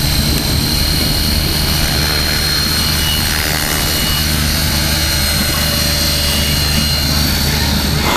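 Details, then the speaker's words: Align Trex 550/600 helicopter at full power with hard load swings and instant stops, after the one-way bearing was adjusted: steady rotor thrash and motor whine with no clunk or slip; normal drivetrain under load. "i mean if the one-way bearing was gonna lock up it would definitely lock up doing these and it doesn't i'm full tilt boogie right now instant stop"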